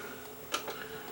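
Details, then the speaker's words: Panasonic PV-V45 VCR found at a roadside spring cleanup with a tape still inside: pressing play gives one sharp clunk and a faint click, then only a soft hum with no tape running before it shuts off; tape probably jammed. "Play. Nothing happens. It just clunks and says play on the screen, but nothing shows up. And then it'll shut down."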